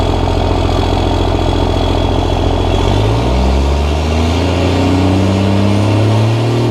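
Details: Cummins diesel truck at its first start after five engine upgrades (new injectors, hot rod VP44, Banks intake elbow): steady idle clatter, then gentle throttle blips rising and falling cleanly; a little black smoke and some rough idle noted. Normal idle with light revving.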